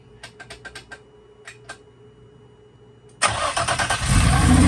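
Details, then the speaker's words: Freshly built engine, first start after install, no coolant running, over 100 lbs oil pressure: quiet ticking, then catches and runs up loudly with a harsh metallic clatter from inside the engine; cause of knock unconfirmed. "as you could hear when the car started, there was a major metallic noise um from the inside of the engine."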